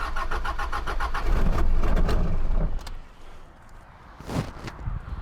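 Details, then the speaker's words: Diesel vehicle started using a Noco Genius Boost Pro GB150 lithium jump starter in override mode; steady rhythmic cranking about three compressions a second, then it catches and is shut off at once, no abnormal knocks, smoke follows; normal cranking and start. "Now I'm going to see if this will start this, and if it does, I'm going to knock it off."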